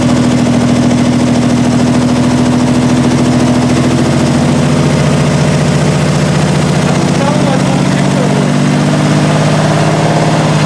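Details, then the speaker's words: 1968 Triumph TR250, first start after restoration with body on chassis: uneven lumpy idle with wavering low note that never settles; carb linkages loose and timing needs adjustment, with distributor gear repositioned and idle screws backed out 2.5 turns. "so it runs and obviously needs a lot of adjustment as far as the linkages to the carbs are concerned as far as the timing is concerned"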